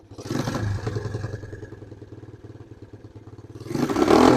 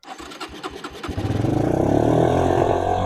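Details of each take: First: Suzuki LT160 quad bike, sat for 3 years, now running without an air filter, thumps steadily at idle with a clean throttle blip and no misses; the smooth running suggests the fault was a slightly loose fitting on the carburetor. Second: Suzuki LT160 quad, sat 3 years, fresh fuel, choke on, no air filter: sputtering catches, then it fires and holds a fast, steady high idle. Suspected too much air entering the carburetor.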